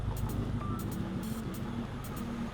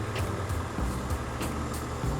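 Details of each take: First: 2002 Honda, hot petrol engine idling rough and vibrating (normal when cold) with an uneven, lumpy beat; cylinder 3 is misfiring, unplugging injector 3 changes nothing, and the cylinder head water jacket was found badly corroded. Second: 2002 Honda complaint of misfire, later traced to a corroded cylinder head water jacket: cold engine idles steady and even, no misfire, then gets revved; it stays normal while cold.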